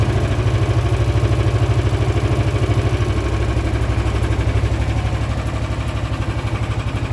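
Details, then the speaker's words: Cold engine, choke fixed, full choke, battery tender, starts at -10 °C, cold-blooded; steady low even chugging idle, no misses, knocks or hunting. Normal idle. "and this thing actually starts up at -10 celsius reasonably easy"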